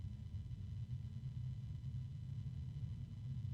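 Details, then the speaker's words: Barrow RGB 120 mm 6-pin fan sped up from its quietest lowest speed: steady low hum with a faint airy rush that persists and rises in pitch as speed increases; fan hum with air noise, cause unclear. "let's go ahead and speed it up it rapidly gets noisy it's got a low hum and then there's the medium noise of the"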